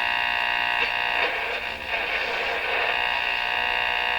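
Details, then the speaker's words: Rogers 11RA651 shortwave radio during alignment, AM band, external antenna connected: a buzzy hum with pulsing noise about four beats a second over the station. Interference from something in the shop is suspected. "Just by the way, that sound there, boy, that really sounds like something I used to hear on shortwave."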